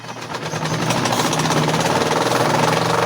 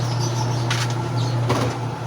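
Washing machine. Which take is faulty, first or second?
first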